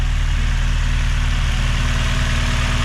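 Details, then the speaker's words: K24A-swapped EM2 Honda Civic coupe after installing Drag Cartel drop-in cams, new injectors and a valve lash adjustment: steady even idle, smooth low rumble, no ticking or knocking; healthy. "running nice or any valve cover looks good from the front. How's it look in the back? Looks good."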